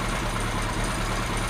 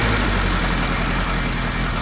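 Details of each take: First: Kawasaki Z1 with four carbs, run up on a test tank after resetting slide gaps with a drill bit and vacuum-syncing on new gauges: steady, even low idle with no hunting, ticking over much better after adjusting air mixtures on all four carbs. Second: Kawasaki Z1 inline-four idling after carb slide gaps were set and carbs vacuum synced: light, fairly even ticking about three or four a second over a steady idle; suspected slightly loose valve shim with a gap too big, not confirmed.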